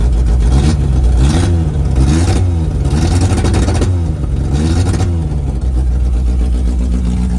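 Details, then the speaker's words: 1988 Suzuki Samurai parked since the late 1990s, no muffler, temporary hanging fuel tank, restarted: a loud, deep, even exhaust note with rhythmic blips, running cleanly. "Now for the ultimate test. Will it fire back up? Ready? That is awesome."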